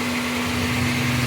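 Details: Automatic Honda Accord after repairing a no-crank no-start fault (fuses and relays checked, battery strong): smooth, even idle with steady hum, no knocks or misses; normal idle.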